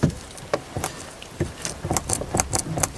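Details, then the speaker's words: Opel Astra H newly installed door check strap: door swings with soft even detent clicks, no crunching; normal operation after replacement. "і так новий обмежувач встановлений і знову ж таки відчуття нового автомобіля Вау наскільки Він тихо працює послухайте самі"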